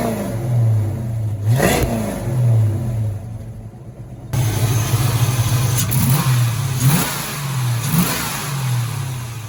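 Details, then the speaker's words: 1986 Ford Mustang GT V8, original-mile car that sat for a while, after new cap and rotor and fresh fuel: idle lopes and wavers between blips, revs rising unevenly; timing to be checked. "It's a little hesitant. It's kind of almost feels like it's missing a little bit."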